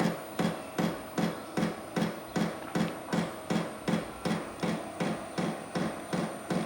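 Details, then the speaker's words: 8 kW diesel heater starting cold, crisp even ticks about two and a half per second speeding up over a faint high whistle; dosing pump priming normally before heating begins. "I hear picking up speed it's getting faster so I guess I had to go through like a priming phase and then the whatever the the heater part of it is going to kick"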